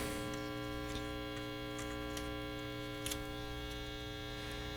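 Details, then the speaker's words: 1960s General Electric dual-speaker long-range radio receiver, barn find, powered up during restoration: steady low mains hum at full volume with even overtones, tone control shifts the hum pitch, no station received; open power transformer winding. "we have hum that's full volume that's definitely working and absolutely nothing tone control now the tone control changes the pitch of the hum so the tone control is working yeah it doesn't look like anything's happening"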